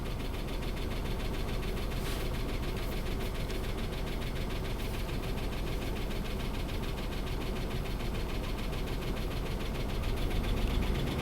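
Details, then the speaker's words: 2005 Dodge Ram 2500 5.7 Hemi, nearly 300,000 miles, with a dead cylinder: rough uneven idle with fast tapping, about three or four ticks a second; suspected worn cam from a seized roller lifter causing low compression, unconfirmed. "so that ticking right there I think a cam is worn out"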